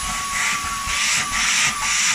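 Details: Dyson V10 cordless vacuum after stripdown and repair to make it air-tight again: high steady motor whine under rushing airflow hiss swelling in even pulses; running normally.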